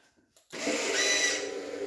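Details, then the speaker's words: 2020-on Honda Fireblade RR-R SP, keyless, at power-on before starting: silence then sudden buzzy electric-motor whirr with tonal sweeps; exhaust valve servo doing its normal self-test cycle. "horrendous noise from the exhaust Servo and let's see if it'll fire up"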